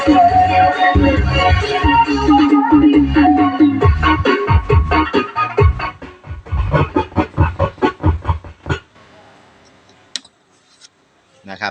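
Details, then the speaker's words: NAKOYA CX371 amplifier before repair, power on, playing music: loud but rough, hoarse and cracking on louder notes from one channel; distortion on one side. "ครับเสียงแหบไปข้างนึงนะเพื่อนเสียงแตกเสียงแหบแห้งไปข้างใน"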